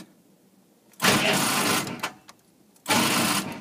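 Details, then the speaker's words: CUCV military truck (M1008/M1009 diesel) on manually wired glow plugs: two short sluggish clicky cranking bursts with no start; starter starved by low battery voltage. "You can hear that, it kind of sounds like a, I don't even know what, I guess kind of like a, it's got that like clicking noise to it. That's because it's too low a voltage."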